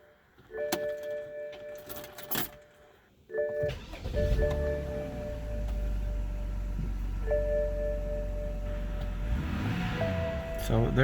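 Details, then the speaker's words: BMW E46 328i inline-six after replacing the cylinder 6 coil pack for a P0306 misfire: catches after a key rattle and settles into a smooth steady idle, no stumble or shaking; misfire fixed. "there it goes. The car is working perfectly. It's not misfiring anymore. So it was just the coil."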